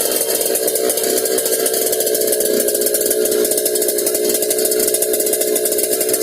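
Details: Yamaha RX King two-stroke revved hard with a coarse, rattling snore riding steadily under the exhaust note; snoring noise when revving, carburetor noted slightly wet, source unclear.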